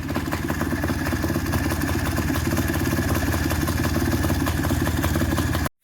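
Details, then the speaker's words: Polaris two-stroke engine in a custom Barbie Jeep ATV build, recorded outside the shop because it is very loud. Running premix plus oil injection, so about double the oil. Loud, busy burble holds a steady idle without stalling or surging; normal idle. "so here she is I have no clue if you can hear me but she's running good"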